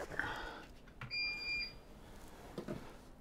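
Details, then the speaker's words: APC 1500VA UPS battery backup, battery run flat after powering a computer for 2 hours 13 minutes: single high-pitched half-second beep as the computer shuts off, battery-depleted alarm. "now it's beeping computer shut off so yeah that's about it for how long it takes"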